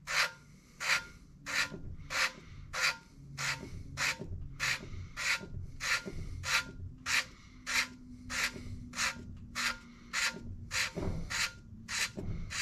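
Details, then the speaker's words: 454 big block head valve lapping by hand, turning valve on lapping compound (120 to 220 grit): even gritty rasping strokes, about 97 a minute; sanding sound means the seat still has pits. "And basically all I'm listening for here is for that the sanding sound to Yeah, it's still got some pits to it."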